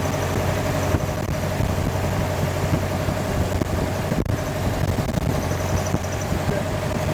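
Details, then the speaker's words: Sonex aircraft AeroVee Turbo engine, first-ever start: steady, loud drone at idle with a slightly uneven beat underneath; running pretty good but a little rough at idle. "It was running pretty good. Uh it seemed like it was a little bit rough at idle."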